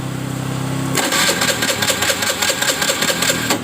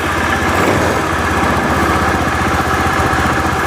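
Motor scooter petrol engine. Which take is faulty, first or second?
first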